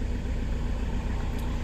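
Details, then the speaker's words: Diesel van with 280,000 km after accessory belt repair: steady low rumble, no squeal or chirp; belts now quiet, tensioner pulley not the cause. "donc l'histoire des courants assez bon s'est réglé apparemment il fait plus de bruit"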